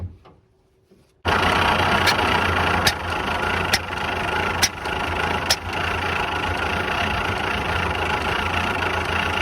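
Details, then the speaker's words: 1951/1952 Ford flathead tow truck after retarding timing: engine catches but runs ragged, irregular pop about every second, never picks up speed; misfire traced to bad distributor cap whose center post broke off onto the rotor. "I found this round thing sitting on top of the rotor here and it turns out it was the center post for the distributor cap well that's not supposed to come out so we've got a bad cap"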